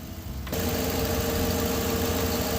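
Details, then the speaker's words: 2013 Chevy truck 5.3 V8 after physical and software AFM/DOD delete, alternator belt off, running off the battery: catches quickly into a smooth, steady, quiet idle with no ticking, knocking or shake, unlike the shaking before; coolant smell off the headers. "She's quiet. She don't sound like she did, do she? She had a little shake, rattle, and roll before."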